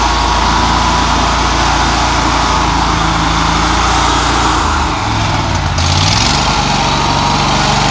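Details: Toro lawnmower started after sitting all winter, choke on: small single busy at fast idle, speed sags near five seconds then recovers; throttle or choke not holding its setting, cause suspected, not confirmed.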